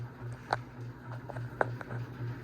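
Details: 52-inch unknown-brand bronze hugger ceiling fan on high speed: constant low electrical hum with occasional light ticks and taps; loudest, possibly wobbliest fan owned, barely moves air; owner suspects a flywheel out of balance.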